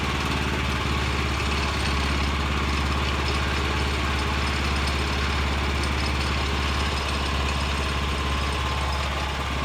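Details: Vanguard 9 hp single-cylinder tractor engine, final run after freeing sticking throttle lever with WD-40, one-pull start: steady even thump at constant idle, no skips or stumbles, some vibration; running cleanly.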